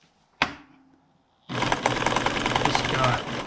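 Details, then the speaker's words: Sewing machine stitching a patch onto the 1996 Ford F-350 seat-base upholstery: an uneven clatter of three or four beats a second over a laboured hum, as the machine is pushed to its limit by the thick material. "like pushing the limit of the sewing machine a little bit here. That's what that sound was."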